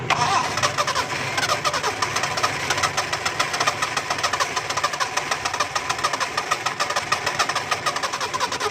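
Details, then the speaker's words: Car that wouldn't start after engine washing: engine catches and settles to a rapid, even idle with no misfire, now starting properly. "दोस्तों गाड़ी start हो गई है"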